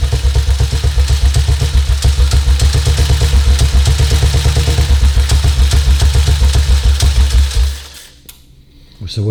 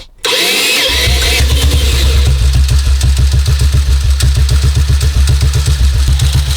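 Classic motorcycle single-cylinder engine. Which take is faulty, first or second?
second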